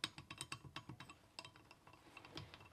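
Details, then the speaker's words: 1950s Caterpillar TraxCavator pony motor removed after broken magneto gear, crankshaft rocked by hand: quiet irregular clicks and knocks from bearing far too loose; new bearings planned, journal may be surface ground. "And the other thing that this bearing, if you see it here, it's way too loose."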